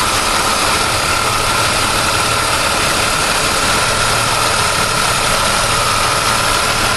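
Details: 1999 Pontiac Firebird at idle: steady idle with a constant high-pitched whine over an even engine hum; something sounds loose, source not yet pinned down.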